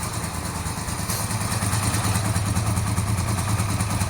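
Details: 1982-83 Honda V45 Sabre V4 café racer after correcting float bowls set far too high, fuel screws 2 3/4 turns, choke on, cold: steady, even low throb with a fast regular beat and no misses; all four cylinders firing at a smooth idle.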